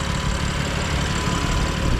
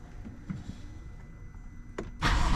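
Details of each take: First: 2020 BMW F82 M4 at warm idle: a steady idle with a light, even fuel injector tick and no more rattling. Healthy. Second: 2020 BMW F82 M4 with S55 engine at cold start and idle: a light, quick regular tick of about four per second from loose camshaft bolts on the exhaust side. The rattle fades when warm, while the constant injector tick remains.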